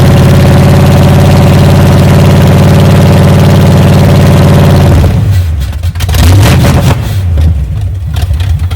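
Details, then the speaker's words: 1978 Chevy K10 V8, first start after sitting 27 years, fed from a fuel jug with two-cycle gas poured down the carburetor: runs steady and even at low idle with no knocks or misses, charging and oil pressure showing, then cuts out when it runs out of fuel. "I think I think it may idle now it's running a lot better yeah just according to the gaug is charging so that's that's good we got oil [Music] pressure"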